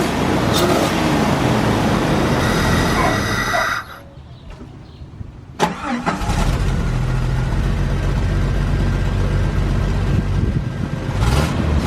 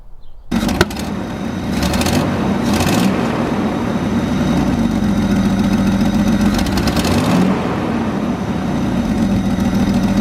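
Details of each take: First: Jeep 4.0 the day after fitting a stainless-steel aftermarket header: deep, steady exhaust note, idling evenly and revving cleanly with no ticking or puffing; the exhaust is sealed and healthy. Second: Jeep 4.0 inline-six idling with a fast, faint ticking puff under the exhaust note: cracked exhaust header leaking, a common 4.0 problem.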